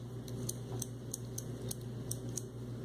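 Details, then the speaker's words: Shakespeare Sigma 2200 CK 025 vintage ultralight spinning reel with anti-reverse cam misaligned (gap between holes): light crisp clicks about three per second as the dog moves up and down; silent once the drive gear tab is aligned. "So what happens now is you've lost your silent anti-reverse. I hope y'all can hear that clicking."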